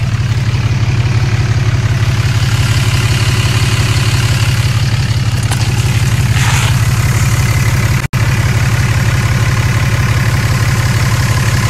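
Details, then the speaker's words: Dodge Cummins diesel at 254,000 miles, first start after CCV delete: steady idle with fast, even ticking chatter on top, louder than before; rocker arms need valve lash adjustment. "it's louder you can hear the chatter of the rockers i need adjust those"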